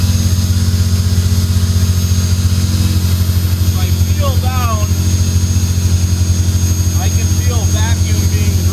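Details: 1998 Ferrari 355 F1 with no muffler (custom pipes, OEM headers), right after a cold start: steady high-pitched whine from the secondary air pump over a lumpy, loud idle; normal operation, pump stops after about 2 minutes.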